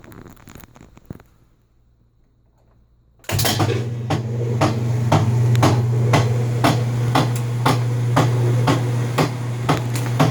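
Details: Whirlpool LSB6400KQ1 washer, cover off, lid switch bypassed, in low or high spin: steady heavy knock about four times a second over motor hum; cause found to be a failed transmission.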